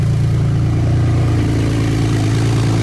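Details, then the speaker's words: Rebuilt wrecked Porsche 911 Turbo on first start after repair, cold and warming up: steady, even low idle with smooth deep rumble, no misses, knocks or ticks; earlier turbo chatter mentioned, sounds amazing. "Dude, fired up. Dude, it's purring, dude. Oh my sounds amazing, dude."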